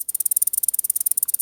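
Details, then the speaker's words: Cheap eBay/Asian aftermarket top-end kit for a Yamaha Banshee 350: turning the loose wrist-pin needle bearing gives a fast, dry, high-pitched ticking around eighteen clicks a second, rough and poorly made; owner calls the bearings junk and won't use them. "You got the circlip, wrist pin, and those junk bearings."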